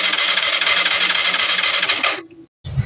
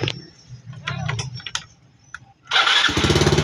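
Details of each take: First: Yamaha Mio Sporty scooter that cranks but won't start: starter spins about two seconds with no firing; spark confirmed at the high tension wire, fault later traced to a clogged carburetor. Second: Yamaha Mio Sporty scooter that wouldn't start, after the dusty, clogged carburetor was cleaned and its sticking piston/diaphragm freed: after a pause it catches at once into an even, steady putter; problem solved.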